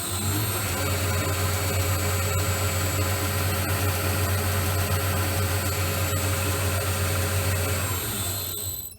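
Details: Lathe with a 6-pole 1.1 kW motor, larger than the original 0.75 unit, belt setup changed. Steady low motor hum with a smooth even drive, no knock or clatter, then a clean wind-down; the drive sounds healthy.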